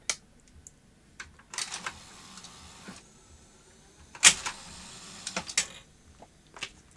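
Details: Philips N1702 VCR-LP video recorder after fitting a new flip-flop IC in a socket: crisp clicks and short motor whirs in two bursts as tape laces and unlaces cleanly. Lacing mechanism works, though the faulty clock module still outputs a constant laced signal.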